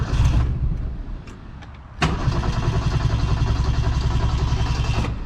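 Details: 1972 Ford Pinto 4-speed, which nearly stalls under electrical loads; the owner suspects a leaking bad fuel pump. A weak first catch fades, then it fires and runs rough and uneven for seconds before dropping off. Hard start and stumbling.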